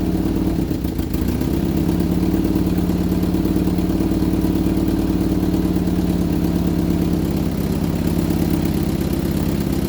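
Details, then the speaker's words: Vauxhall Viva HC during rebuild, first run after refit with rear silencer fitted: steady low drone with faint rattle; owner suspects a slipped gearbox guard plate, source unconfirmed. "right i took the belt off to eliminate the alternator and the water pump for that noise i've got a new water pump i'm sure both of the noises coming from like a guard plate that's in the gearbox"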